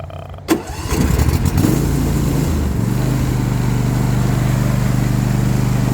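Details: Nearly new John Deere S130 mower, first startup diagnosis; cranks and catches, then steady idle with a constant thin tone over it. Deck noise and pulley noise heard with the clutch disengaged. Idler pulley bearing noise.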